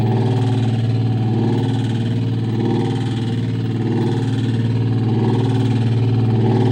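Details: LG top-load washer with LE error code: low motor hum pulsing about four times a second with a rough grinding edge from a failed hall sensor, caused by a very light load confusing balancing, later blowing the fuse.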